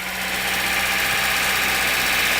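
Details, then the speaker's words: VAZ engine after DIY repair of an engine knock, microphone at the front, timing and underbody covers off, alternator belt not fitted: steady idle with light harmless valve chatter; the earlier heavy clang is gone, engine healthy. "ушел стук, ушел. Это уже тарахтит, там клапана тарахтят, ничего страшного. Но этого лязга-то уже нету."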